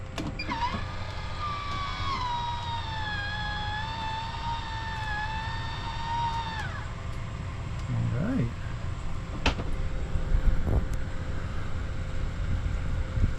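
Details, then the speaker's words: MaxxAir MaxxFan after installing a 12 V voltage regulator (input was about 1.6 V too high, causing shutdown and beeping): motor whines about six seconds as the lid opens, then fan runs quietly and evenly; fixed. "very good okay so I guess we'll call this problem solved and uh yeah once again it was just a voltage it was over by about you know 1 and a 12 volts 1.6 volts"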